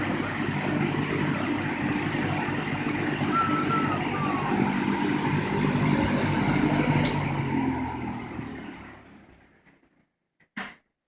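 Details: 1960–61 GE W-15 variable speed box fan after full-speed running: steady airy rush with a soft low hum that winds down in its long spin-down and fades out, then a switch click; normal running.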